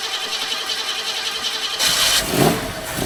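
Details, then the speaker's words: 1969 Mustang that sat 15 years, after radiator and electric fan work, first start in a while: quiet cranking, then it fires first try and settles to a steady run while warming up, with condensation off the headers and good oil pressure. "You can hear how it sounds while it's warming up."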